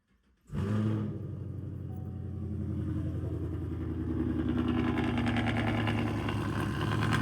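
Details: Chevrolet Camaro SS V8 at startup: cranks and catches with deep, uneven rumble gaining a rough, rattly edge as it settles; owner hears a weird noise from the rear end, cause unknown.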